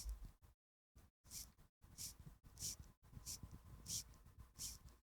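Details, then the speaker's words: Vintage Dugena antimagnetic wind-up watch from a flea market: faint scratchy rasps with each crown turn, about one every half second, suggesting the gears are grinding during winding, though the watch still runs. Cause suspected, not confirmed. "What is that sound? The gears are grinding, but it works."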